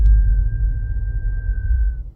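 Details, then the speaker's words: BMW M5 with about 30,000 miles: thin high brake squeal or creak for about two seconds when coming to a slow stop, even hot, dry and unwashed. It happens randomly, and the dealer called it normal. "But what my car was doing was even if it was hot and there's no rain. I've not washed the car, no nothing. Coming to a slow stop, you'd hear the creaking."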